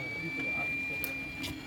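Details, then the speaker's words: Creality Ender 3 3D printer during first layer print: steady motor whine broken by sharp clicks as extruder motor skips steps because filament was not fully fed in; no extrusion. "if you hear this clicking can you hear yeah it's not coming out so it's the extruder motor kind of skipping steps cuz I can't quite get it out"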